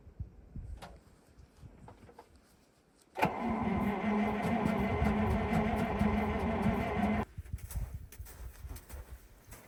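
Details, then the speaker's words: Ural military truck with petrol V8, cold start at -8°C without preheating after standing six months: starter cranks steadily for about four seconds but the engine never catches; suspected not getting fuel. "I think there's an issue with the fuel. Let's try pumping it up again."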